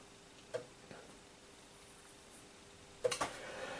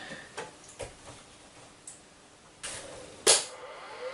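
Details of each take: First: Commodore Amiga 500 from late 1980s, stored 25 years in a cupboard, first power-on: sharp dry clicks from the empty floppy drive over faint hum, the usual Amiga drive clicking; normal. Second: Amiga 500 hard disk at power-up, after about 25 years in a cupboard: a faint whir winding up with a rising whine, then scattered clicks and clunks; the old drive sounds like it is failing.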